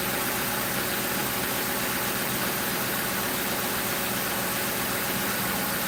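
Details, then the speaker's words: 2005 Crown Victoria police car V8 idling after replacing the grounded No. 4 ignition coil and plug that blew fuse 9 and cut all eight coils; smooth even idle, no misfire or skipped beat; normal idle. "pretty good, you guys. Sounding pretty good."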